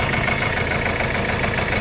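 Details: Mercedes-Benz CLS W218 at idle: rough running with a hard, rapid knock on top that follows engine revs on light throttle; bottom-end knock from loose oil pump bolts.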